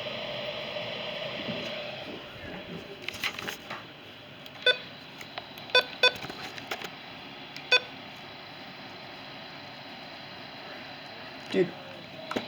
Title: (EXTREMELY RARE) KHB32 Makes Very Weird Noises